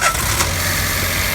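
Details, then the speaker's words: Peugeot 107 / Citroen C1 / Toyota Aygo 1.0 three-cylinder after replacing the faulty ignition coil with an aftermarket one, cured misfire and lack of power: even idle with a steady hum and no stumble or shake; normal idle. "so much better back to normal again so this one was the fall Tico the new one was a aftermarket coil came in about forty six pound"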